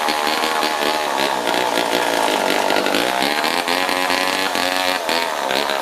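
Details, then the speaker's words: Old Homelite two-stroke chainsaw, sat outside in scrap pile over a year, running again: buzz holds high and steady, dips briefly and picks straight back up; runs clean. "I'd say it's not too bad for something that's been sitting outside for God knows how many years kind of a pointless project but it was fun to fire it up"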